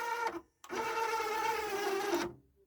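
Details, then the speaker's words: Marantz CD-63 mkII CD player, drawer slow to open: thin tray motor whir stops, pauses, then runs again for over a second; suspected lazy, slipping belt. "oh and now wants to open up a little bit more I think we have a lazy belt"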